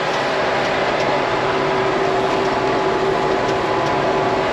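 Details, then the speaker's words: Round baler, baling hay at the Bison ranch after all chains were replaced: steady even hum with a faint constant tone near 400 Hz, no knocking or chain rattle; runs much quieter since the new chains. "But man, since I replaced all the chains, that baler runs so much quieter. I can't believe it."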